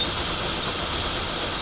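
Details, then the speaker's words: Nissan Pathfinder: loud steady hiss with thin high whistle over the idle; suspected vacuum leak around intake, revs picked up when spraying under intake manifold, lost hose clamp noted; cause unconfirmed. "oh okay there's a major league i didn't even get that yet you can hear like that hardcore whistling you guys know what that is i don't know"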